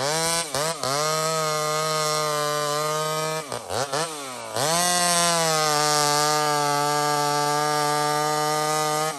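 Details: Small Homelite two-stroke chainsaw, described as 28 full house on a stock chain, cutting wood: screams at high revs, dips under load as it bites into wood, then recovers cleanly. Normal cutting; strong and healthy.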